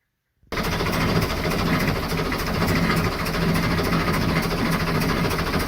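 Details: Perkins 4-107 marine diesel, boat sat about 8–10 years, engine was seized, fresh fluids and fuel from a can: steady idle with a sharp puff each cycle as compression blows past number two injector's poorly seated copper washer; otherwise healthy.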